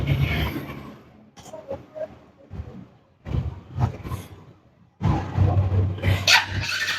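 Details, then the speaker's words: Bajaj Pulsar NS160 FI ABS motorcycle, no-start: several short electric-start cranking bursts with low churning that never catches; sensors and ignition coil current checked OK, fuel pump or throttle body next suspected. "বাইকটি আমি sell করে আপনাদের দেখাচ্ছি দেখেন বাইকটা start হচ্ছে [music] না বাইকটি স্টার্ট হচ্ছে না"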